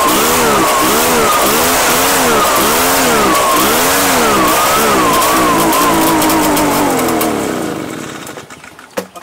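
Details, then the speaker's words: Two-year-old Echo PB-755ST two-stroke backpack blower that bogs under throttle. Revs surge and sag about twice a second, never holding speed, then fade and die. It is running on funky-smelling fuel. "i sold it to this guy brand new in the box two years ago and it's here for a runs but bogs down when we apply throttle"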